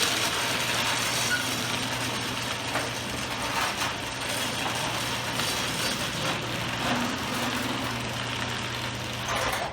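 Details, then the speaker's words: Garage door with a screw-type opener, after the buckling, popping panel was repaired with reinforcing bars: a steady motor drone and low hum with a slight squeak, which is normal for this opener; no bowing or popping as the door closes; normal operation. "no bowing no popping works great um my my uh garage room does squeak a little bit but uh that's normal it's a screw type garage opener"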